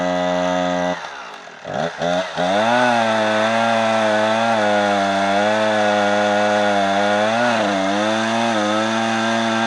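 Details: Husqvarna 455 Rancher chainsaw on owner-mixed 50:1 fuel: stumbles and sags, revs back up, then holds a strained, wavering note while cutting. Bogging is attributed to a dirty fuel filter.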